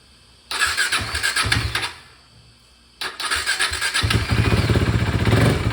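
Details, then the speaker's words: KTM RC 390 (Duke/RC single) motorcycle first start after fuel pump replacement, refuelled after sitting 3 years: cranks briefly and stops, fires on second try, settles into steady even single-cylinder thump at idle; healthy start. "bike and as you guys can see the bike has started guys this sound is like a music to my ears guys"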